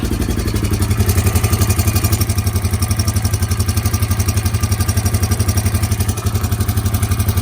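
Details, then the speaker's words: Rebuilt 300 ATV with new valves, seats, springs and rings, single cylinder idling: steady metallic clicking over the thump from a badly stretched timing chain; replacement chain ordered. "so as you can hear you can hear that clicking and that's the timing chain and it's super stretched"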